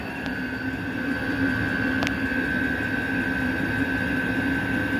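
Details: Vevor 8 kW diesel cabin heater with cast radiator heat recovery, about 10 minutes after start-up (outlet 232°, exhaust 237°): constant high whistle over the heater's roar from the combustion-air intake filter. Moving the intake outside later quieted it.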